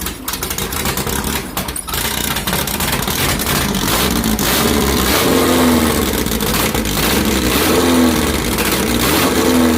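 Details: 2332cc VW bug (Dust Buggy) cold start, first firing after carbs cleaned, mixture screws not yet set: catches and revs unevenly, beat wandering and stumbling before a steadier idle; rough running on startup.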